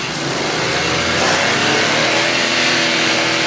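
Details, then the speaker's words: 2022 Suzuki Alto after replacing worn alternator bearings, light throttle blips: engine revs up cleanly with an even, smooth rise and no whine or rumble from the alternator; the previous alternator noise is gone. "बस अभी जो जो है ना okay बिल्कुल भी अब nice वगैरह कुछ नहीं है"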